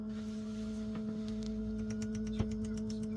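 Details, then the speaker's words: Camping-car Webasto diesel parking heater switched on: steady tone with faint quick ticks, a few per second, as its fuel pump draws diesel from the tank into the heater at start-up; normal. "이제 오일을 착 당기는 소리야 저게. 틱틱틱틱 소리 나죠? 오일이 이제 펌프에서 오일을 기름 탱크에서 오일을 싹 뽑아 올리는 거예요."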